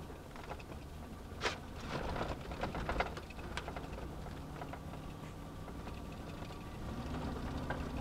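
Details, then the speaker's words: Chevy/GMC truck after a small ground wire fix and cleared codes for Reduced Engine Power and stalling over bumps: low steady engine hum under road thumps and rattles, no cutting out on a bumpy back road. "let's take her for a drive and see that's a good sign we don't have to go far i take this little back road out of here and all these bumps would shut the truck right off last"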